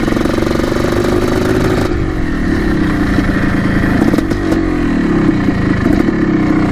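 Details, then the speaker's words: 1987 Yamaha YZ490 two-stroke after carb cleaning and new fuel, riding: raspy note rises and falls with the throttle, pulling cleanly without stumbling, burning much better; normal running. "looks pretty good burning a lot better now that we've got the new fuel"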